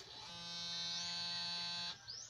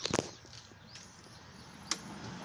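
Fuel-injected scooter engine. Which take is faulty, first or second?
second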